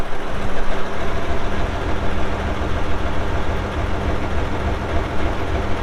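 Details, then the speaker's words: 1967 Oliver 1750 2WD diesel tractor, 80 PTO hp, 5,917 hours, engine block dry with no oil or diesel leaks; deep, steady diesel rumble settling into an even idle without stumbling or rattles; normal idle. "As you'll see here in a little bit when we fire it up, it runs out really good."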